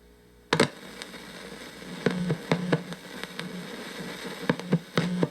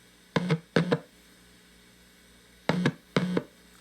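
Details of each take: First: Fender Blues Deluxe hybrid tube amp, brought in for a power issue, before the fix: steady low hum with hiss and random crackly pops, traced to a bad first-stage 12AX7 preamp tube, with the noise in the tube itself. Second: Fender Blues Deluxe hybrid tube amp: four clean plucked notes over a quiet background with only a faint steady hum between them. Normal low noise floor.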